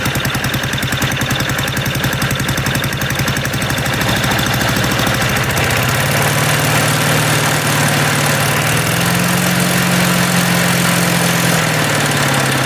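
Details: MTD walk-behind lawn vacuum blower unused about 3 years, restarted while warming up: small single-cylinder engine surges and sags at about 220 beats a minute, struggling to hold steady idle; cause unconfirmed.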